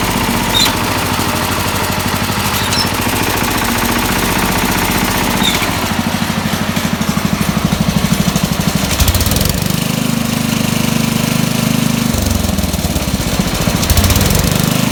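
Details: 1969 SS12 Hydro tractor, small single-cylinder engine running rough with an irregular knock that comes and goes; the sound is RPM and PTO sensitive. The cause is undetermined and the owner thinks it may need a rebuild.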